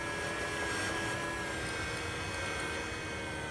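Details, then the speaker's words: 2011 BMW 535i after electric water pump replacement and coolant refill, running the bleed procedure with the gas pedal held about 12 seconds: steady, even whir with a faint constant whine as the pump cycles. Normal self-bleed; more coolant is still needed. "see see you can hear it cycle meaning you can see in there it's gonna need some more"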